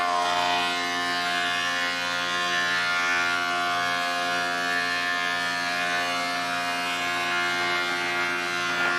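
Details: Large planer donated by a viewer, previously used off-grid to mill sawmill lumber, feeding dry English walnut (swapped from wet Douglas fir) after rollers set just above table flush: smooth high cutterhead whine with even cutting hiss, no knocks or chatter; cutting normally.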